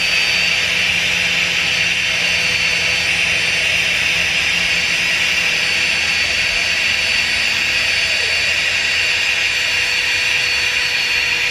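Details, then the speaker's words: FlexTailGear Max Pump 2 Pro inflating an air mattress: steady high-pitched motor whir with fan-like hiss; pump working harder as mattress nears full pressure, about 1 minute 15 seconds to fill. "yeah I can hear the pump working harder I think that's all the air it can do"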